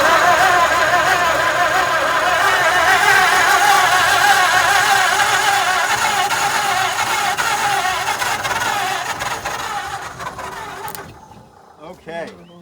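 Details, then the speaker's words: 1948 Ford junkyard truck, unrun for decades, in neutral, ignition hooked up: long, even cranking with no firing catch. It cranks but doesn't start; the owner thinks a little accelerant would have made it catch. "I need some accelerant. A little bit of accelerator and I think it would have caught."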